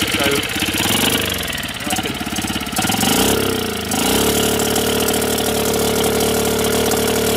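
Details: Outboard motor converted to run on LPG, needle valve used as throttle, gas fed via sump vent tube: a few rough pulls and sputters, then it catches and holds steady even idle; runs normally.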